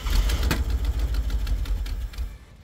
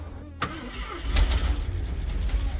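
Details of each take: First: 1974 AMC Javelin from junkyard, sat about 20 years, first start attempting to idle: sharp fast uneven ticks over a rough low idle that fade away, from "typewriter" to "sewing machine" — ticking at idle, likely valvetrain. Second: 1974 AMC Javelin started after sitting about 20 years; starter whirrs briefly, then it catches and settles into a low, steady idle without knocks or misses, normal engine start.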